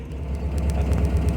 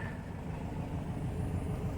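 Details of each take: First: Upright-converted VW Type 4 engine with idle hiccups; low engine rumble with steady ticking about eight per second heard through the speaker, indicating one spark plug with resistance out of tolerance. Ignition misfire tick from faulty spark plug, plugs to be replaced. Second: Upright-converted VW Type 4 engine after replacing spark plugs, one of which measured about a hundred-plus kilo-ohms instead of about five; smooth, even idle with the ticking through the speaker gone. Normal idle after plug repair.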